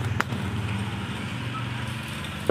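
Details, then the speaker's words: Suzuki Shogun Kebo motorcycle, starter motor keeps running after the battery cable is reconnected with the key switched off, engine not firing: steady low whirr without pause; cause is a stuck starter relay/switch. "Kita sambungkan kabel baterai. Bunyinya akan tetap terdengar. Ini akan tetap terpasang , teman-teman. Meskipun kunci kontak dimatikan ."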